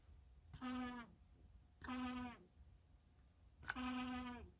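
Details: Used Lasko fan: three short high-pitched squeals about a second apart, each sagging in pitch as it fades, over quiet background; likely dry, sticking motor shaft bushing.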